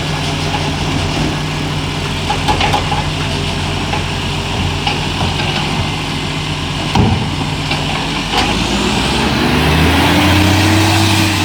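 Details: Euro6 diesel garbage truck at idle: a sharp, fast puffing tick about four a second over the engine rumble; an exhaust leak.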